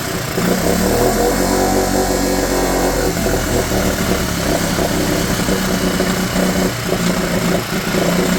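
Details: Mercury/Tohatsu 4hp four-stroke outboard in a bucket, after carb cleaning and fresh petrol for a no-start: buzzes steadily on choke with even, unbroken beat and no stumbling; normal running.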